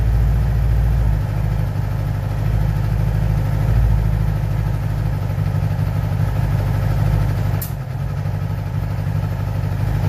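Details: 2011 Yamaha R6 idling with uneven, lumpy puffing from the exhaust and an odd sharp pop; cause of the popping not identified.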